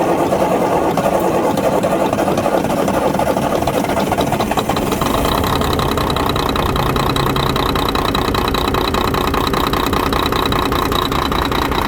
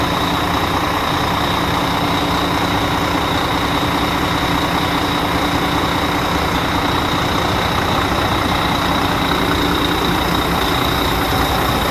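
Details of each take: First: Volvo FH12 truck diesel with an engine knock, idling: uneven, lumpy clatter instead of a smooth steady beat; it runs poorly. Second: Volvo FH12 truck diesel, cold start after sitting overnight, following engine reinstallation and an injector problem: an even, settled idle with a steady clatter, no knock or stumble and no smoke; running healthy.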